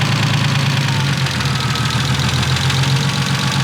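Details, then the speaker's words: BMW E36 with freshly built engine after first start and fresh oil change (7 quarts): steady idle with light, fairly quick ticking over the low engine note; lifter noise still present. "Fresh oil. It's officially broken in, guys. Yep. Thank you. Yes. Still noise."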